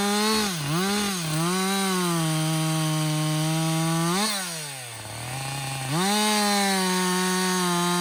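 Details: Husqvarna 562XP 60cc chainsaw, back from the shop after a software reflash for dying when hot, not starting and stumbling, bucking dead windfall about two-thirds into a tank: crisp high buzz sags slightly into the cut and snaps back clean; pulls strongly, running healthy.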